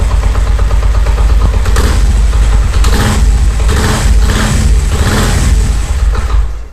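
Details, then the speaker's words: Honda CD70 70 cc motorcycle idling with clutch released: loose repeating knock under the exhaust beat that stops when the clutch lever is pulled; play between clutch basket and clutch plates. "ये देखि clutch मैंने जो है इसका छोरा है आवाज आ रही है और ये देखिए क्लच पकड़ने पर नहीं आ रही छोड़ने पर आर है"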